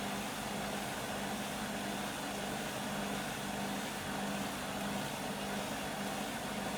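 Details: Beko WM5100W 5kg washing machine, found on the street and plumbed in, test-running a rinse with rags: a loud, steady roar with a low hum pulsing about every half second during a roughly 10-minute spin. Excessive noise; cause not pinned down.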